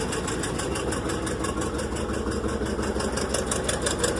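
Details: Rolls-Royce being revived while debugging brake issues, brake lights stuck on; heavy idle with rough, uneven thumping about three beats a second, sounding strained and dragged down, struggling to build brake pressure, cause not clear.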